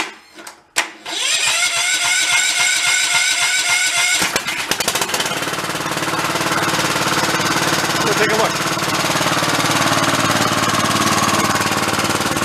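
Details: About 20-year-old Cub Cadet riding mower, started on choke with some throttle: a few cranking chugs, then it catches and settles into a steady, even buzz without dying; running normally.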